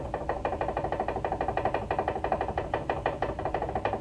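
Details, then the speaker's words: Chrysler minivan front sway bar link, top end disconnected and worked by hand, giving quick hollow clicks about three times a second from a worn lower ball joint; cause of front-end clunk over bumps, both links to be replaced. "And you can see that the bottom is making the noise. The top one is still pretty stiff, but the bottom is no good anymore."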